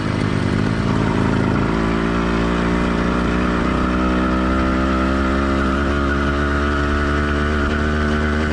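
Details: Two-stroke motorized bike engine after warm-up at normal operating temperature, not yet heat-soaked; runs clean and even with steady crisp firing, no stumbling or burble; normal warm running.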